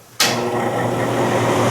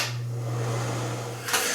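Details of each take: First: Broan NuTone bathroom exhaust fan, about 20 years old, before motor replacement: constant rough, loud whirr with a low mains-like hum; really noisy and moving less air than it once did, worn motor suspected. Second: Broan NuTone bathroom exhaust fan, about 20 years old, after replacing the noisy motor, tested before reassembly: smooth, steady low hum with even airflow hiss, no rattles or grinding; sounds a lot better, healthy new motor.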